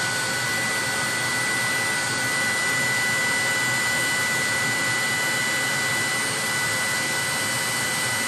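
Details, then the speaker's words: 30,000 BTU/hr multi-fuel fuel-fired personal cab heater for a 1973 M35A2 deuce and a half, after switching from run to off: blower pushes mildly warm air until it shuts off, nozzle then about 114 degrees; even rushing air, faint constant hum, no knocks or rattles; normal run-on. "It's pretty much blowing, I would say maybe mildly warm air right now. It's cooled off quite a bit. There it goes, the fire, it's just shut off, the blower shut off."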